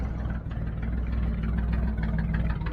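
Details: 1989 Jeep with 4.2 L engine, sitting three years, restarted once fuel reached it, no coolant yet: steady low idle with even beat, no stumbles or misses; idling smoothly.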